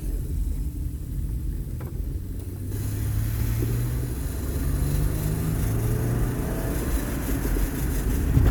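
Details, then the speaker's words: 2007 Honda Odyssey 3.5 road test after repairing a loud noise when turning: smooth road rumble, engine pulling up through the gears, no clunks or knocks over bumps; suspension quiet, repair successful. "Pues ahí vamos dando la prueba de manejo. Parece que todo quedó muy bien."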